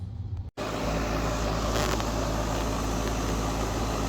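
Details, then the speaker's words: Outside AC unit that would not turn off, after relay contacts replaced: short dropout then steady even hum with smooth fan rush, no rattles or buzzing; relay and fan running normally. "All right, as you can see, it's working. Relay's running good, fan is running, excellent."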